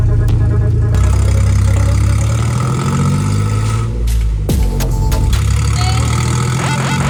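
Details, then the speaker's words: Toyota Prado 90, first start after sump, differential and rear main seal work: it idles loud and raw with a rapid ticking puff, like open pipes; a bad exhaust leak, later fixed. "Now the exhaust leak was still pretty bad, so that's why it sounds like crap. Yeah, it was full just open exhaust, but yeah."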